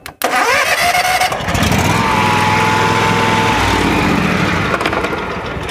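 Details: John Deere riding mower with a no-click no-start, started while holding the key and wiggling the blade engagement switch: brief crank, then the engine catches at once and runs steadily.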